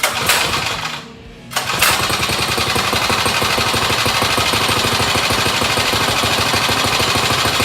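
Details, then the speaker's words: Small single-cylinder mini bike engine on first fire-up after rebuild: stumbles, then catches and runs with a fast, uneven popping beat, so it is running rough at start. Owner suspects the on-switch ground wasn't connected; it later ran with a nice purr and a small gas drip. "At first, if you saw right there, it wasn't starting up right."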